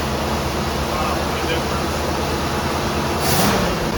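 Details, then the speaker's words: Grandfather's 1966 Ford Thunderbird V8, revived after years of neglect, idling steadily and evenly with no misses, knocks or hissing. Sounds healthy apart from a small exhaust leak. "Sounds good, don't you? I like it. A little exhaust leak, but other than that."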